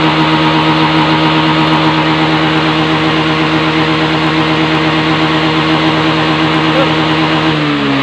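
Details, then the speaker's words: Honda Beat FI scooter after CKP sensor fix: holds steady high revs at full throttle with even tone, no stumble or cutout; previously died when hot with MIL code 52, now running healthy. "Gas lagi, full. Sip, remah. Alhamdulillah ya kawan ya, beres ya."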